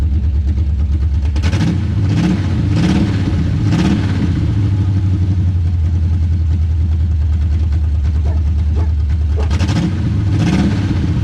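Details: Chevy V8 on open headers, newly bought project car: loud, deep rumbling idle with several sharp rev bursts that rise and fall cleanly. Healthy start and rev.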